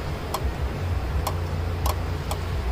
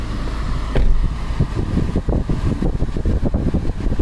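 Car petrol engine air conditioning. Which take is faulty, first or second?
first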